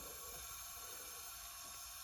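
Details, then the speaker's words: Chevy Vortec L31 350 engine on a cylinder leak-down test, previously oiled: steady soft hiss of air escaping into the crankcase/oil valley while intake and exhaust valves seal; piston ring leakage. "oil so so must be the Rings rings are leaking by uh I get nothing from the valves exhaust or intake so they're sealing good so this is a Rings ring situation"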